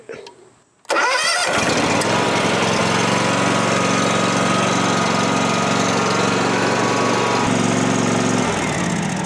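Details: John Deere S240/X310-series lawn mower started by bypassing a bad starter solenoid, jumping its posts with pliers: a short crank, then the small engine catches at once and settles into a steady, even run with no misses. Normal start and run.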